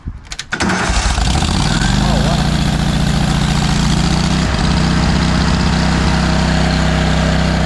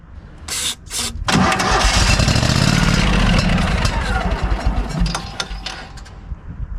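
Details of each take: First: Kohler engine on a Hobart 10,000 W welder generator after carb repair, with an old fuel pump refitted and a fuel mixture squirted in: short crank, quick start into a steady, even idle without misses; owner suspects earlier fuel pumps caused the problems. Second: Kohler engine on a Hobart 10,000 W welder generator after carb cleaning, primed with carb/choke cleaner: catches after a few cranks, then runs ragged, stumbling and surging; owner suspects leftover water-contaminated old gas. Battery dying.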